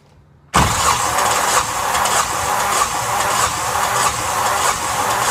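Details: Yanmar SB12 marine diesel after fuel line repair and bleeding, at about 41°F: cranks then catches rough and uneven with a ragged beat, apparently still starved by air in the fuel line.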